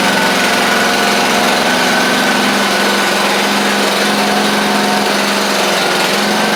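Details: Craftsman YT4000 riding mower running its replacement engine after the original 24 hp Briggs ran low on oil. The engine holds a steady, even buzz at constant speed with no misses or knocks. It runs healthy after the swap.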